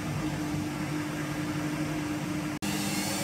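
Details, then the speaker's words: Washing machine after drum bearing set replacement, at full spin speed: steady even hum with only faint motor sound, the earlier rumbling drone gone; drum bearings now healthy, machine back to original sound. "Şu an gelen ses motordan geliyor Az önceki gibi gurur diye ses gelmiyor artık makinamız orjinal sesine döndü"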